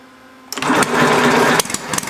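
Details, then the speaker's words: Homemade inline four-cylinder Briggs engine with temporary throttle: catches with a buzzy one-second burst, then scattered pops and dies; fires briefly but won't keep running, carburetor mixture suspected, needle being adjusted. "it sound like it's going to start you just got to figure out the right mixture"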